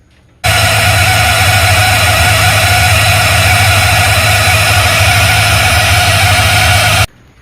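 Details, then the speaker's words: Square-body truck with Holley Sniper EFI throttle body, cold start or AC on pushing idle air control open to raise idle: loud steady droning whine over the idle; idle air control circuit noise. "but it's still it's still really loud on cold starts or if you have the AC on it pulls it out further to bring the idle up a little bit and it's just really obnoxious"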